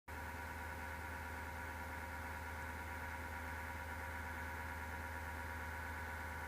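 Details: Desktop PC, recorded at left side of case: power supply fan starts rattling or clicking, slows, then a steady low-pitched roaring grind with hum underneath, occurring without the case being touched; failing PSU fan suspected.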